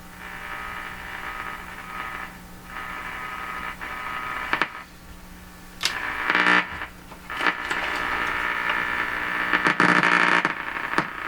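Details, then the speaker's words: 1940s Canadian Red Cross tube radio right after four capacitors were replaced: reception fades to hiss, then bursts back every second or two. Bad antenna connections, a tube heater cutting on and off, or an unsoldered joint are suspected, unconfirmed. "where' it go it's not it's not me making it disappear CU these terrible connections here and now it's coming back oh that sounded like a tube a heater going off and on"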